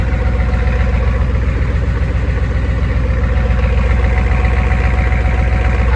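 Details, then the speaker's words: 1986 Ford 7.3 IDI diesel service truck with new straight-pipe true dual exhaust, glow plugs causing hard starting: steady even diesel idle clatter, deep smooth note, no misses, much quieter; normal idle. "But you hear it's a lot quieter. Sounds pretty good."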